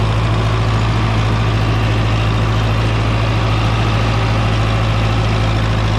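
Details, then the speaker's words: John Deere 3010 diesel tractor with eight-speed Syncro transmission: steady, even low chug, no knocks or misses; healthy idle after a front rattle was fixed. "things are looking good so that tractor sounds really nice"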